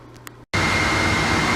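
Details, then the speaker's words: Refurbished Boyar Schultz machine's dust collector blower motor powered up: clicks on and settles into a steady, even rush of air with no rattles, scraping or wobble; blower works fine. "well as you can hear the uh blower motor works just fine so that's good news"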